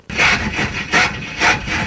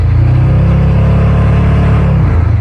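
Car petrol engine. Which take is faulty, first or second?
first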